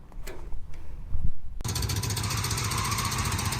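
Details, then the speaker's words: Toyota 4Runner, covered in antifreeze underneath: a heavy, choppy, uneven chug with a deep low thump, seemingly running on about two cylinders. The owner suspects head gaskets or possibly the whole engine; not confirmed. "it's definitely got something seriously upset in the engine so it's running on what sounds like about two cylinders"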